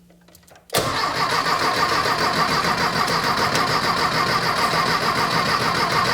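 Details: Custom VW dune buggy on a 1973 Beetle chassis shortened 22 inches, with a rebuilt 1600cc Dual Port engine, first start after basic wiring: quiet, then it catches abruptly and settles into a steady, busy run with no knocks or misses; normal start and run.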